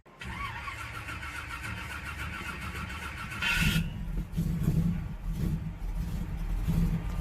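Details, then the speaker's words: 1966 Chevelle Malibu 327 small-block with mini starter and long-tube headers, starter shimmed closer to the flywheel: cranking now clean, but a brief harsh grind as the engine fires; starter engagement suspected, not confirmed. "better it ain't grinding during the start I was just grinding when it starts up I've been trying to get this starter seemed right and the best I can get it is to word ain't grinding when it's turned over and what it'll grind soon as it fires"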